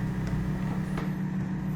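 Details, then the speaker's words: Washing machine still full of water after spin cycle: steady low electric hum of drain pump running with no water gurgle; drain pump impeller broken, fixed by replacing the drain pump. "La centrifuga era ancora in funzione, ma la lavatrice era ancora piena d'acqua. Sullo sfondo si sente la pompa di scarico in funzione, che dovrebbe scaricare l'acqua."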